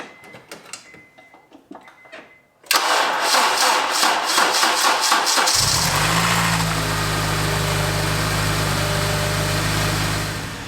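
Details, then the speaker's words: Several seconds of cranking, then a clean start settling into an even idle with no knocking or rattle; Honda engine over 200,000 km after replacing a failed cheap aftermarket timing chain kit and tensioner. "I just turned the car off and turn it back on and you can see that the not count is at zero it doesn't sound funny at idle it's driving fine"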